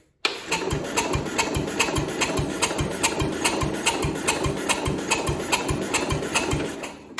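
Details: 1970 International Cub Cadet 127, sitting 10+ years as a parts tractor, spark just restored: the starter cranks steadily at about 2.5 even compression pulses a second but never catches. The fuel valve is possibly closed, and no fuel is likely reaching the engine.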